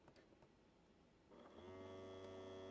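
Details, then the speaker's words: Sony SL-F1E Beta portable VCR on power-up: a steady low motor hum with a thin whir that never stops. The loading motor runs continuously, the same fault as before; cause unconfirmed. "you can hear the motor running continuously running so it seems to have the same fault that it had"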